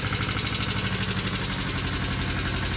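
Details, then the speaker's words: 1972 Honda CL350 twin after carburetor idle adjustment: steady idle, quick blip dropping cleanly back to an even 1100 rpm idle. Finding: normal throttle response and idle. "I feel pretty good about that. Right back down there at 1100. I'd say that's a winner, guys."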